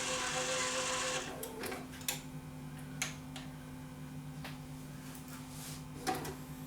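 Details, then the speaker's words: Yamaha CDC-S90 three-disc CD changer in a mini system that won't open: steady low motor hum with a few light clicks but the tray never moves; the loading belt is slipping. "I think this one's going to be simple. I can hear a motor turning. So I get a suspicion that it's just a belt."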